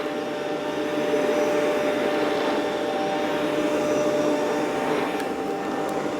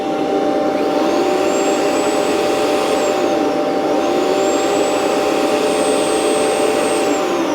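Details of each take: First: Rainbow PN12 power nozzle after refurbishment and new belt installation: steady motor roar, brush spinning evenly with slight sag under load; runs much faster than before, no bogging. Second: Rainbow PN12 power nozzle before refurbishment, on carpet: steady roar with motor tone sagging to maybe half speed or less under any load; owner suspects loose belt.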